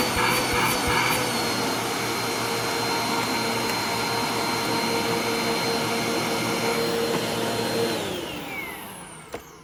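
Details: Eureka Airspeed upright vacuum, a cheap curb find, after clearing a clog and fix-up: steady high whine with even airflow rush, no rattles, winding down smoothly at switch-off; runs normally.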